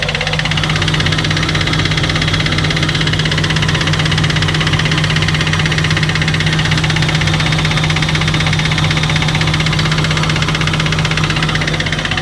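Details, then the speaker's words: Abandoned Nissan R34 Skyline with 149,000 km, after fuel tank cleaning; loud, steady idle with an even low hum and no misses, stumbles or exhaust pops; runs smoothly. "Like the car is idling so smooth, and even the exhaust. Like there's no popping from the exhaust either."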